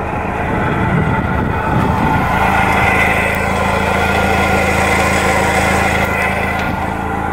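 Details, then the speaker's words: Toyota MR2 SW20 at idle: steady rough, gritty grinding, loudest near the vent and getting louder, newly noticed; owner suspects an idler pulley bearing or AC compressor, alternator already replaced; source unconfirmed. "Kind of hear like that, I don't know, grinding sound. It's really bad over near the vent. Pretty sure you hear it getting louder."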